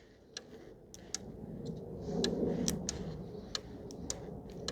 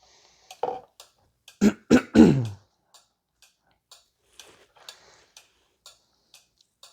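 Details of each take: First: 2014 VW Tiguan 2.0 TSI, ignition off: a relay clicks on and off unevenly, two or three times a second, drawing about 2.4–2.5 A and causing a parasitic drain that flattens the battery. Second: 2014 Volkswagen Tiguan 2.0 TSI being checked for a parasitic battery drain: its four-pin relay on a tester that applies a 7 amp load gives a crisp, even click nearly four times a second, with a brief cough early on; the relay switches normally.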